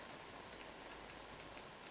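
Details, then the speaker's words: LS1 turbo (E85) fuel injector on the bench, fired by a 9V battery and momentary switch for cleaning: sharp, crisp clicks in quick pairs as the solenoid opens. Normal injector solenoid click. "you can hear it clicking that's just a solenoid opening"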